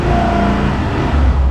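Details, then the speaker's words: 2024 Suzuki Burgman Street 125 repo scooter started before a test drive: short, clean rev with a smooth, even note and no knocks or rattles; engine sounds healthy. "Yun guys, goods sa goods. Ganda yung kanyang engine."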